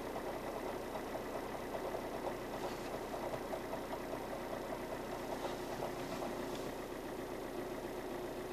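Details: Alfa Romeo 159 JTDM Lusso diesel at idle: loose metallic rattle/chatter at roughly two to three a second over the engine note, which goes away when the clutch pedal is pressed.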